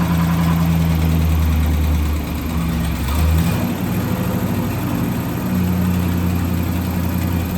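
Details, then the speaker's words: 1963 AMC 287 V8 in a Rambler wagon, started after sitting a long time: rough, lumpy idle with fast uneven clatter and squeak from the left-bank rocker shaft, starved of oil by mixed-up rocker shaft bolts after valve stem seal work. "We're going to take this valve cover off the passenger side of the little Rambler and see if we can fix this squeaking issue. First, I want to get it started up so you can hear it."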